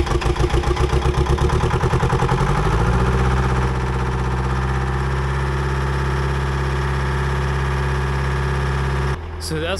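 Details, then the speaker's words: Old budget excavator after draining both fuel filters: cranks, catches, settles into steady even low idle with no stumbling; fuel issue seems resolved, later moving a big stump without bogging. "seems to be running pretty darn good and I think fuel issue seems to be 100% resolved and I was able to move this big stump right here if you can really see it but uh I was able to move that fairly easy and it did not bog down the machine"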